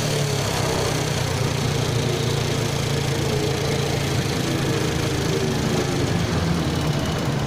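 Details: Steady, fast chattering tick and rattle from inside the engine over a low idling thump at constant speed; suspected piston slap, not confirmed.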